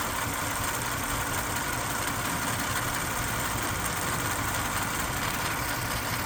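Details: Toyota 3.4 5VZ-FE petrol V6 idling with an uneven, lumpy beat, the low thumps stumbling; misfire after head gasket replacement with OEM kit and machine-shop-rebuilt heads, on an engine found with seized valves and injectors.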